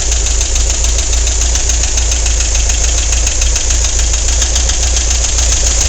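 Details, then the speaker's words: Volkswagen on the way to work, noise louder than its usual: sharp clack about three and a half times a second from one corner of the engine over a rough idle; cause not yet found. "can you hear the noise on this side of the engine I'm not sure how well you can hear that but there's a clack down in this corner and I got to figure out what it is"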